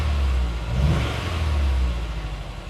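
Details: Honda S2000 after spark plug replacement, coil packs in original positions: quick rev sounds choppy and uneven, still as rough as before though it started better; misfire.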